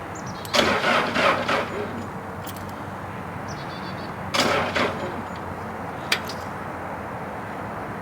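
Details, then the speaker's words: Bobcat 763 skid steer, sitting about a year with suspected water and rust in the fuel, primed with the injection pump bleeder open; two short sluggish cranks with no firing, owner suspects a dead jump pack. "that didn't sound good sounds like my jump Pack's Dead"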